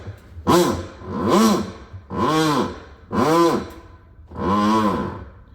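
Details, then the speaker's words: Maytag MVW6230HC2 top-load washer running its agitator: very loud groaning moans repeat about once a second with each stroke, traced to a worn drive pulley, cam and clutch. "So this is my failure. This is the failure in our washer, and when it's running, it was so loud. That sound, it was really, really, really awful."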